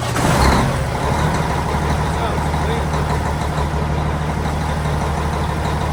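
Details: Cummins diesel truck after new starter installed: steady heavy low drone with no clear firing rhythm; cranks, start unconfirmed.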